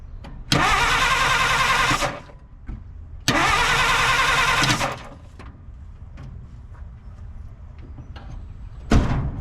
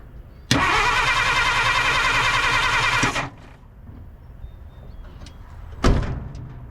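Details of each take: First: 1950 Dodge Meadowbrook, sat for unknown time: starter churns steadily in two bursts of about a second and a half, then a third, engine never catches; cranks, no start. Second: 1950 Dodge Meadowbrook, positive-ground, sat for unknown time, first try on unmarked battery: starter spins engine briskly about 2.5 seconds, even quick chugging; fast cranking suggests a 12 V battery on a likely 6 V starter; normal cranking.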